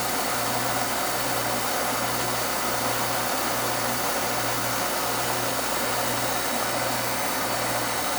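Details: Oil burner fires after a delayed oil valve with a steady, even roar and low hum underneath, no rumble or puffing, after the drawer assembly, previously set too far back, was repositioned; residual oil expected to burn off. Normal burner firing.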